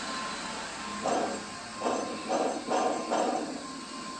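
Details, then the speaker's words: John Deere S140 48in mower deck, removed and spun by hand; five short, rough grating whirrs from idler pulleys that failed after 6 hours, the customer's noise complaint; the spindle sounds fine, and the idlers are to be replaced. "And this one, which is the same part number as that one, also bad. After 6 hours, these idlers have gone bad. So that was the noise that the customer was complaining about."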